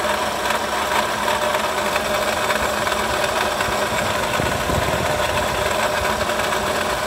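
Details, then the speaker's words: Toyota Sienta idling, customer complains of rough engine noise; oil pressure OK; gritty rough whirring dominant at the water pump area at the front of the engine, worn water pump bearing. "untuk suara kasar lebih dominan di area water"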